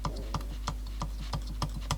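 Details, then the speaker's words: Aiwa CSD-EX10 boombox, Tanashin TN-21Z cassette mechanism: sharp plastic clicks about three per second over a steady low hum as the autostop lever clicks and catches when it shouldn't; owner suspects pivot or plastic slide, not confirmed. "oh we just clicked again it shouldn't be doing that and there it caught"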